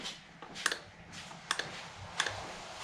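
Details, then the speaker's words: Mazda 3 second generation intake manifold runner (IMRC) solenoid, removed and bench-tested with 12 volts across its prongs for codes P2004/P2009: three crisp paired internal clicks about a second apart, a normally working solenoid. "you can hear that distinct clicking internally. I put the negative onto this prong, touch it with the other lead, and when you give it 12 volts, you can tell the internal is clicking. That means the solenoid is functioning."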